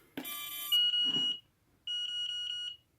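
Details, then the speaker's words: Turnigy Evolution transmitter bound to Mobula7 on USB with no flight batteries connected: bright high-pitched warning beeping in two short bursts because battery voltage reads low; normal, stops once batteries are attached. "so obviously it's not getting a an idea that the battery is full enough well that's normal because there's no batteries connected"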